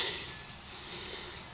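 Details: Troy-Bilt Horse riding lawnmower tire punctured by wire, cleaning the hole with a plug kit reamer: steady thin hiss of escaping air, then a short louder burst; air leaking from the puncture.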